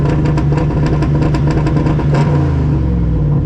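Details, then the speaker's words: Turbo car on ethanol, 10 psi boost, at drag strip: two-step launch limiter held at 3,000 rpm, switched from spark cut to soft cut; rapid steady popping at fixed rev, smooth and even, no longer bogging. "That sounds a lot better, doesn't it? Well, that's 3,000 RPM, and I changed it from being a spark cut to what it's called a soft cut. So that sounds like it likes that a lot more. It doesn't bog there."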